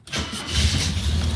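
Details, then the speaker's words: Mercedes W123 (S123 estate) cold start after sitting nearly three years, new battery; brief crank, catches first time with hardly any pedal, settles into steady idle without stumbling; normal cold start. "it started first time after three years of just one I reckon it would have started without a uh without a pump on the pedals"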